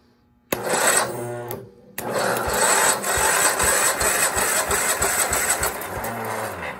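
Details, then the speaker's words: 1984 Argo 8x8 twin engine on a stand, cranked via battery starter/charger leads with a compression gauge on the first cylinder, oil in it: quick even pulses pushing back hard, nearly catches; strong compression, about 120 psi. "she sounds like she wanted to go it's a lot of compression it sounds like she wanted to go"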